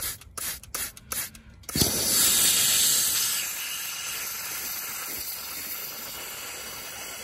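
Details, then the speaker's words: Truck air system switched on: loud steady hiss starts abruptly and settles to a constant leak; owner says the ring and O-rings need replacing. "jeszcze jedno kolanko spierdala powietrze pack a to już nie nie tylko tutaj jedyny wyciek jaki jeszcze chyba słysze"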